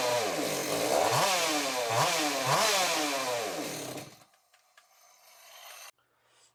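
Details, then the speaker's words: Echo CS-600 hybrid chainsaw with a 93cc top end in a 60cc chassis and a carb from a new 620 with new seals: it surges up and down about once a second, never holding revs, then dies. Owner suspects an air leak, possibly at a thin, rotted crankcase. "I fiddled with it a little more it's still acting up so we're not gonna do the dino runs today and try and get it all figured out pretty sure it's got air leak"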